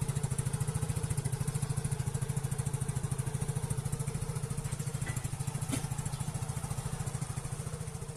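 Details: Yamaha Mio Soul GT 110cc scooter idling with a steady, even low putter and no knocks or misses, after rebuilding fuel pump wiring that rats had chewed through.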